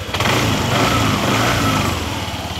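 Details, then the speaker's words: Yamaha N-Max scooter, 30,700 km, after repair of a failed camshaft bearing and timing chain plus a remaining engine noise: smooth, even hum with steady pitch and no knocks or rattles; previously very noisy, now normal running. "Então olha o barulhinho no motor. Nem parece que tá ligado. Ficou muito bom. Tava um barulho muito feio."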